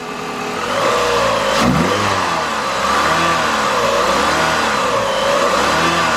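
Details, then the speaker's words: Chrysler PT Cruiser 2.4 L after timing belt, water pump and radiator replacement and fresh oil, first start: four-cylinder revs rise and fall smoothly through several blips, no knock or tick; healthy. "Yeah, it runs just like a PT Cruiser. That's not bad. That's not bad at all."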